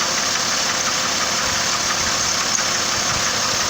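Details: 2006 Trailblazer 4.2 Vortec at idle: light, uneven tapping knock, about three per second, under a hissy idle. Owner suspects a bearing or cylinder five or six. Not confirmed.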